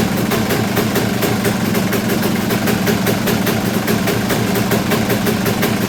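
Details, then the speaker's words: Kawasaki KX250 two-stroke after reassembly, running without choke and low on fuel: steady popping idle about six a second with a soft, blubbery edge; sounds off, owner guesses running rich and needing carb tuning. "I mean to me that doesn't sound quite right the way it's it's not really knocking or anything like that it just kind of it's hard to say I guess"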